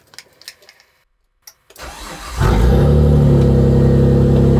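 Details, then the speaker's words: Mitsubishi Galant VR4 (Legnum) drivetrain in a Mitsubishi Eclipse body, 6A13TT twin-turbo V6 awaiting restoration, fuel leaking at joints: brief crank, starts almost instantly and settles into a steady, even idle with no misses; normal start. "Так, заводим. Заводится она с полпинка."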